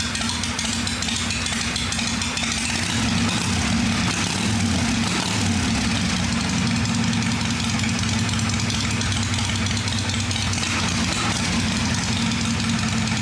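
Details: 1981 V-twin motorcycle, freshly cleaned and tuned after starting up: steady, even low thump with no ticking from the top end; normal idle.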